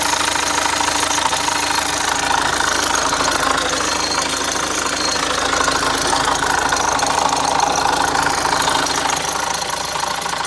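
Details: Opel Zafira Tourer 1.6 CDTI diesel at idle on start-up: steady fast metallic ticking, about three per second, over the idle. It was intermittent for two months and now happens on every start for two weeks; the owner suspects the timing chain.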